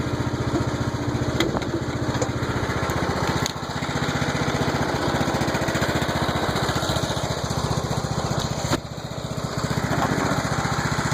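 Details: Old Troy-Bilt mower single-cylinder engine, first run after rebuild with valves adjusted: steady, even beat around three to four firings a second with no misses or knocks; running smoothly.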